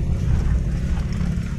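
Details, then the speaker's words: Steady low road rumble over rough, potholed road from a Daihatsu Xenia after rear suspension repair, with no more knocking or clunking from the rear; suspension now quiet. "itu oke Ini sudah jadi Sudah anteng sudah selesai"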